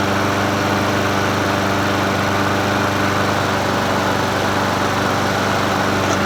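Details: Troy-Bilt self-propelled mower with Honda GCV160 engine, free curbside find, restarted after first run: steady, even single-cylinder drone with no dips, misses or knocks; carburetor not leaking, self-propel works; normal running.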